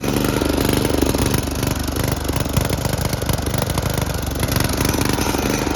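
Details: Snapper riding mower with an aftermarket Chinese carburetor whose needle and seat leak: it runs lumpy and uneven, loping and stumbling about three times a second, and puffs black smoke. The float is stuck down, flooding the carburetor.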